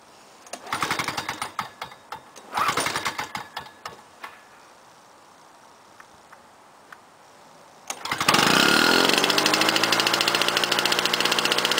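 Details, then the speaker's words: 1998 Lawn-Boy 10323 mower with a Duraforce 6.5hp two-stroke engine, swapped in, cold start on choke. After several pulls it catches and runs fast, high and buzzy: idle speed set too high, with a governor vane needing adjustment. "I got itjust adle speed that's running a little bit way too fast for my liking okay that's that Weather Vein over there I just got to adjust it"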